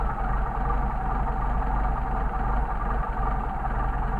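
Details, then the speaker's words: Mercedes 190SL rebuilt Solex carburetors, adjusting the second carburetor's idle mixture screw from a 1–1.5 turn starting point until idle degrades. Low idle turns slightly uneven and loping, with air rushing into the throat; leaned idle mixture stumble. "grade in through them time to degrade you can hear it you can also hear the air rushing in there more into the throat"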